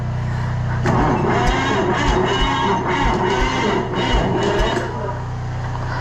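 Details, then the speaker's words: Antique Cummins 290 diesel for a Brockway project: heavy slow thumps about three a second, cranking sluggishly without firing; not enough battery juice, owner unsure if starter or cold is to blame; oil pressure good. "what we got going on now is that I'm not getting enough juice with the bat trees um not sure if it's the starter or if it's cold or what"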